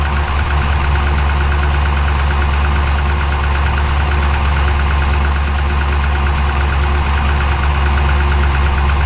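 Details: 392 V8 with 1400 miles at idle, deep heavy knock over a loud low rumble, diesel-like, like a Cummins; internal engine knock, cause not yet known.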